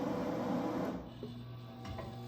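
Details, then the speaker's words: Pellet Pro Smoke Daddy vertical pellet smoker after upgrading to raised Sportsman PID controller, first fire-up: low steady motor hum, no grinding, pellets heard dropping, a little smoke — auger feeding normally. "Got a little smoke. Yeah, I think we're good. We're gonna pull this outside. I can hear pellets dropping already."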